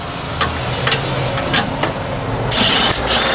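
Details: Chevy P30 food truck, 6.2L diesel, cranking: harsh metallic grinding and clatter over a laboring crank, with sharp gritty bursts near the end; the starter gear is chewing a damaged flywheel ring gear.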